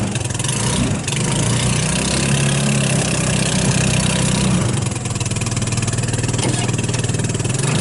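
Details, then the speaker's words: 150cc GY6 Hammerhead off-road go-kart on a cold start, with good spark and plenty of fuel at the filter: engine speed hunts up and down unevenly, close to dying, unable to get enough fuel. Lean surging from contaminated carburetor. "like I can't quite then quite get enough gas to keep it going so that's the issue with it"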